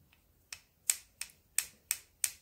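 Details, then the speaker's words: Old Petrof upright piano: sharp dry clicks with no cushioning as keys are played, because the felt on the action jack is worn down to bare wood; planned fix is felt salvaged from an old hammer. "and it should be a nice cushioned it should be like that but it's clicking because the felt is gone"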